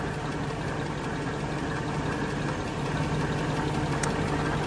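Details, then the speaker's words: 1994 Mercedes E420 (W124, V8), cold at idle with suspected failing water pump: steady low groan over a smooth idle, a bearing noise hard to pinpoint by stethoscope; not confirmed. "All right. And there is our weird bearing noise back again."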